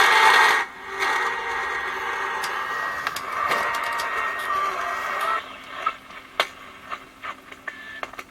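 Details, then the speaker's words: 1960s Soviet Vega Ruby (Signal) pocket clock transistor radio on fresh battery, corroded battery snap: harsh crackly midrange breaking into pops and clicks; speaker distorting badly, owner wonders if speaker damaged, unconfirmed. "it's starting horribly i wonder if the speakers um been damaged well it's not bad"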